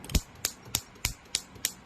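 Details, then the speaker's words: Honda City running on CNG, brought in for shaking at idle in gear; injector 2 on high-current test clicks crisply and evenly, about three per second, no skipped or cut pulses — works fine, though it leaks fairly badly on the leak test. "ไฟสูงตัวที่2โอเคนะครับรอบทำงานโอเคไม่มีรอบโดดไม่มีรอบตัดนะครับ"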